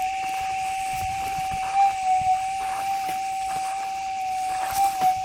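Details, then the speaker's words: Metal detector gold prospecting: a steady high threshold tone with brief warbles and blips as the coil sweeps. This is chatter from ground-noise instability with sensitivity set high; lowering it to nine would likely remove it. "it's just enough to without that instability and a lot of chatter now we can pick that noise out"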